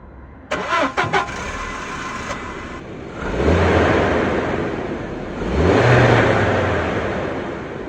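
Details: 1999 barn-find car left sitting for years, first start after new battery fitted: a few clicks, short crank, then catches straight away and revs cleanly twice; normal start.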